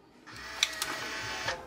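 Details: Fujifilm Instax Wide 300 after repair, powered on with no error or flashing: a short, clean motor whir with a few light clicks as the lens extends smoothly, no stalling. Normal power-on lens extension.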